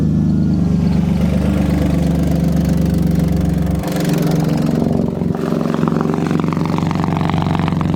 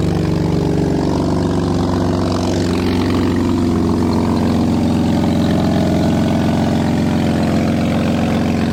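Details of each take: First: BMW E36 drift car after an exhaust leak was patched with exhaust putty and left to cure 12 hours, driving: loud, steady engine with a deep exhaust drone and small shifts in revs, no puffing or ticking from a leak; exhaust sounds sealed after repair. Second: BMW E36 drift car, cold idle before an exhaust putty patch: loud, rough chuffing, raspy tractor-like exhaust note, said to quiet somewhat once warm; exhaust leak.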